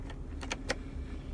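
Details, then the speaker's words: 2002 Kia Optima heater blower, engine running, heat switched on: a few faint sharp clicks with no fan whoosh; switch engages but blower never spins. Blower motor suspected. "a switch that's making it it's switching but nothing's happening so that tells me blower motor"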